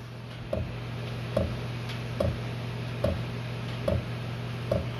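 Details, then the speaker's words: 8K diesel air heater first run: crisp single ticks a bit over once a second over a low steady hum as the dosing pump primes, pushing air out of the fuel system; normal. "so that's the pump ticking so now it's it's going to take a while because it's got to pump all the air out of the system"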